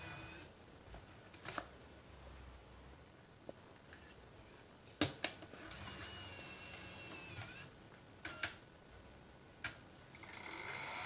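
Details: Nintendo Wii console making weird noise: scattered mechanical clicks and taps, then a motor spinning up into a steady high whirring whine.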